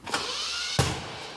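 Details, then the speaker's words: Datsun with leaking head gasket replaced by Vegemite, no coolant, on choke: starter spins into smooth light whir without compression beats; Vegemite pushed out from cylinder to around valves, no seal, no compression. "[ __ ] me I don't think vegim Mite head gasket will work either so what seems to have happened is it's pushed all the vegim Mite out from the center of the head gasket or the cylinder head and it's built up around the valves and around the outside of the head so there's nothing actually trying to seal here"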